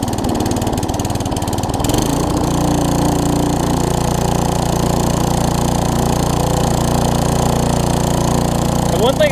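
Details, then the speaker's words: Tecumseh vertical-shaft engine on a weed trimmer, just after carburetor replacement, full throttle with no load: runs fast and steady with a slight rise and fall in speed; a mild surge attributed to running without load. "want to mention you do hear it surge a little bit remember this doesn't have a load on it like a mower so it has to be almost perfect in order for it to not surge"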